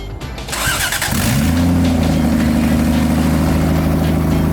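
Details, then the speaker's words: Toyota Cressida MX73 5M-GE converted to 5M-GTE with junkyard 7M-GTE turbo, first start, car raised: catches after a second of cranking and settles into a steady, even rev; strong, clean run, nothing amiss. "Oh, that sounded so good. That sounded like a Jay-Z."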